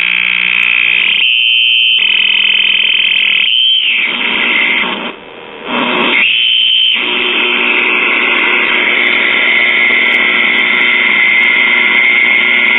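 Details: Circa 1938 Emerson portable tube radio, switched on during repair: steady high-pitched squeal with choppy dropouts and no stations received; the IF amplifier stage is oscillating, signal traced good up to the second IF amplifier.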